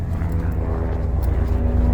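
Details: Audi A3 8P 1.8 TSI, parked about a year, after timing chain and injector replacement (one stuck open): low uneven lumpy stumbling idle, still missing on a cylinder after plugs cleaned; owner suspects failed plugs; idle misfire.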